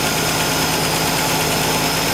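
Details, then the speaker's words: 1965 Ford Falcon inline six with EFI, started to check for a suspected valve tap: steady, even idle with no distinct ticking; one owner believes the tapping was imagined, normal idle. "So basically, we don't know if we ever heard tapping. I believe that it was all a figment of our imagination."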